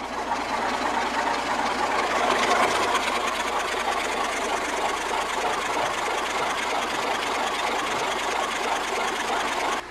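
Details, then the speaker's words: V8 sped up during a field compression test: fast, even clatter turning over steadily with no stray knocks or misses; healthy, 175 psi compression across the board. "when the motor sounded good but what are the numbers tell you numbers look good Jeff"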